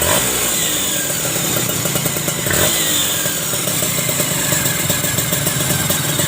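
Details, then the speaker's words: Kawasaki Ninja R 150 two-stroke idling, recently had its block rebuilt: irregular "kresek" crackling rattle from the engine, traced to a broken exhaust power valve (Super KIPS) gear. "Ini motor Ninja 2 tak ini Oke jadi ini mesin ini di sini ada bunyi kresek kresek kresek kresek kresek"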